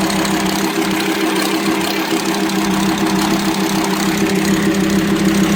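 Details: VW Transporter T5 2.5 TDI (AXD/AXE) at idle: a ticking knock about twice a second from the top end. The camshaft was worn and broken because leaking plugs starved it of lubrication, causing rough idle, low power and metal dust in the oil. The fix was welded plugs plus a new camshaft, tappets and bearings.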